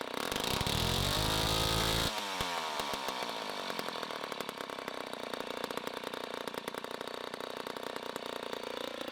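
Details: 1960s Homelite C-51/XL-12 vintage two-stroke chainsaw, revived, started with choke: a very loud scream, then a burbly, uneven idle with a slight blubber. It is running a little rich and may be low on fuel.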